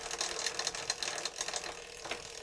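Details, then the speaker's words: Thrifted Sanyo M Series boom box, radio working, tape mode engaged: rapid irregular clattering and scraping from the tape transport, no playback; slipping or broken drive belt. "sounds nasty. I don't think it's going to work with the tape in."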